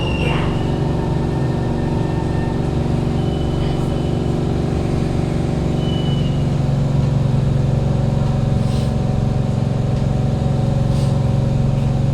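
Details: Kawasaki Heavy Industries C151 train 067/068 on the East-West Line, AM peak, recorded inside carriage 1068 near doors A4/B4 (No. 2 end): a steady loud whooshing roar with low hum from unusually loud air-conditioning and ventilation fans, loudest when decelerating into stations.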